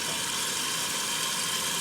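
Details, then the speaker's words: 1969 Maytag A106 washer after rebuild, normal cycle set to hot giving warm rinse, filling from both hot and cold hoses at full pressure (pressure drops on warm setting); steady even rush of water, no surging — normal rinse fill. "you get more pressure back and it's pulling from both hoses there for the warm."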